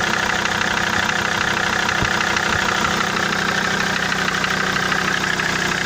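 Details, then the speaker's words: SsangYong Rexton 2.7 diesel at idle with a sharp, even knock about three times a second. It persists after the third injector was rebuilt and nozzles replaced on two others. The shop blamed injectors because unplugging them stopped the sound. Cause unfound. "То есть стук, как он остался, так он и есть. То есть стук никуда не делся."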